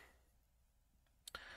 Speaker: micro switch is clicking so um is it working who knows the microphone you might just hear it yes it's definitely clicking